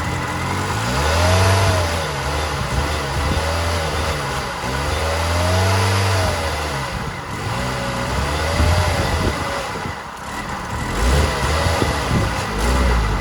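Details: 2000 Toyota Yaris 1.3 VVT-i automatic: revs rise and fall unevenly, stumbling and dipping; hesitation/misfire with no fault codes despite new plugs, air filter, fuel pump and throttle position sensor; MAF not replaced.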